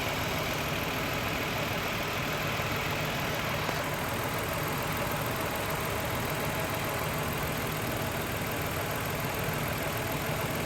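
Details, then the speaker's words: 2000 Toyota Avalon 3.0 V6 VVT idling low and uneven, about 650 rpm, with a distinct flutter from one cylinder dropping out, a mystery misfire. "the engine has a distinct miss you can hear it fluttering it's just going you can definitely tell it's dropping a cylinder"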